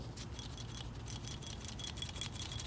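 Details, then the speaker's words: DIY ball-and-spring manual turbo boost controller, brass body, shaken: faint irregular light metallic ticking of the check ball bouncing up and down loose in its seat with no spring preload. "That's the ball bearing, bouncing up and down in the seat."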